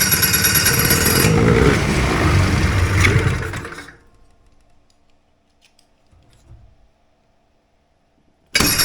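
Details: Two-stroke hovercraft engine, newly fitted coil, carbs sorted, primed and started in the shop, settles into a busy, even buzz with no misses; running as it should, left to warm up.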